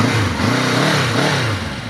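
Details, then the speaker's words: 1983 Honda CB750 Nighthawk four-cylinder, ridden after sitting outside over 10 years, now with new battery and spark plugs: smooth, even note climbs and drops cleanly with throttle, no knocks or misses; runs like new, normal revving. "got it running put new battery in it new spark plugs she runs like brand new I mean it's a Honda what do you expect"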